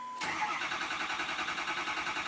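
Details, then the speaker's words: Ford F350 with the 6.0L diesel, crank-no-start being diagnosed, no coolant in it: the starter turns over in a slow, labored, even rhythm without catching after an earlier start. Weak batteries that need charging. "Dang, now the battery's getting weak. I mean, you heard it start. We're gonna have to charge these batteries."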